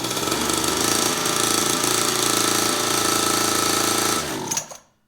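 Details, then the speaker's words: Newly assembled kids' dirt bike, carburetor not leaking, testing one of its two kill switches: small single at a steady rattly idle cuts dead within half a second; kill switch works. "All right, that one works. Good deal. All right, so they both work good."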